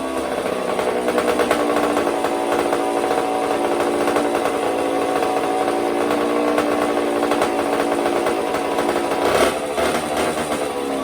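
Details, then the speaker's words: 1984 Honda CR60R two-stroke, after carb clean, air mix screw set one turn out (was fully in) and needle clip moved down to second-last; buzzy steady raspy run with a brief blip, firing cleanly without stumbling, normal running. "i also move the needle clip position down one so it's on the second last one right now and that seems to have done the trick so let me just start her up here quick"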